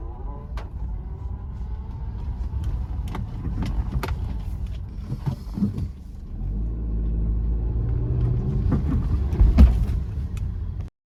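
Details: 2018 Maruti Ignis, about 90,000 km, crossing a hump at about 30–35 km/h: scattered dull knocks and one heavy thump from the front shock absorber area over road rumble; worn front lower control arm bushes.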